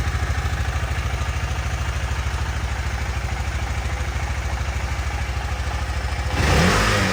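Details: 2018 KTM Duke 250 left dead one year, started after charging and reinstalling battery: even single-cylinder idle about three thumps a second, then a quick throttle blip rising cleanly; starts and runs fine.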